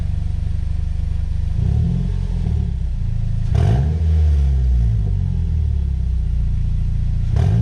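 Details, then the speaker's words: 2010 Mazda 6 GH, heard from the back of the car, briefly started with the exhaust and mufflers removed during a bolt and seal kit job: deep, loud, raw drone with low thumping on each throttle blip. "straight pipe, without mufflers, how would the car sound like? Yes, here boys. This is for you all."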